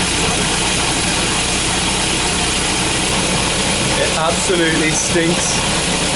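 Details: Volvo B230 redblock with hard starting, not misfiring much under load and leads replaced: uneven, lumpy idle with irregular stumbles and no steady beat, running rich; rough idle from a leaking fuel pressure regulator.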